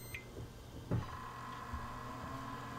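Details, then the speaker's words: PC with a GeForce 8600 GTS being cooling-tested, with an Antec 3-speed blower on high and a large Delta fan, heard at power-on. A steady, even airy hum with a faint whine and no rattles; the blower runs normally. "You can see the giant Delta fan down there, and you'll certainly hear it as soon as I turn the power on."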